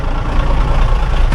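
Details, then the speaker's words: Old farm grain truck idling after being started without a starter: deep, steady low rumble with an even beat and nothing irregular on top; a good running engine that just needs a good battery. "I was talking but yes yank them yeah she's a good running engine you just got to have a good battery"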